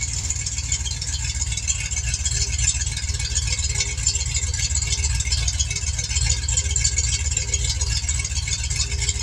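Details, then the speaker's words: Fox-body Mustang V8 with Holley EFI, after TPS autoset adjustment and new spark plug wires and not yet fully warm: a steady choppy "galloping" lope at about 3.5 beats a second without stumbles, a healthy cammed idle. "my damn sounds like a dam galloping horse for sure oh so excited big relief off my chest battery charging cars running"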